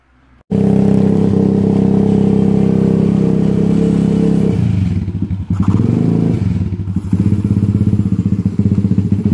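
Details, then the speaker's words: YCF 125 Start pit bike, single cylinder, exhaust run with no baffle at all: very loud, raw bark with crackling pops as it revs; far too loud without the baffle. "Bon, voilà ce que ça donne sans chicane du tout. Donc, comme vous pouvez l'entendre, ça fait pas mal de tam pour une toute petite bécane comme ça. Voilà, ça pète carrément."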